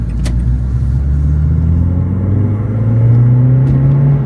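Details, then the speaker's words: Renault Clio Sport 182, driving with new custom near-original exhaust replacing patched MOT-failed system: steady mellow low drone over road rumble, no rasp, rattle or blowing; loud but healthy, possibly partly intake noise. "it's quite loud that exhaustion is it but it sounds nice"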